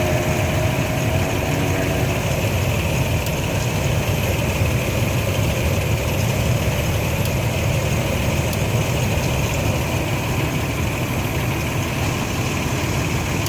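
Steady low idle rumble with faint scattered light ticks up top and a slightly uneven beat; clicking engine settling into a rough idle.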